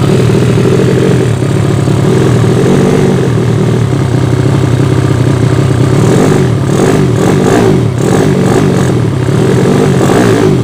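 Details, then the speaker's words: Yamaha Vega ZR with swapped Mio cylinder, 200cc, 66mm piston, standard stroke, Tiger cam, open header exhaust, test run after long storage: loud, deep steady running, slightly uneven at the top end; carburettor not yet set, running quite lean. "Hai di karburator belum sesuai agak sedikit tekor bukan sedikit for lagi ya tapi banyak tepatnya"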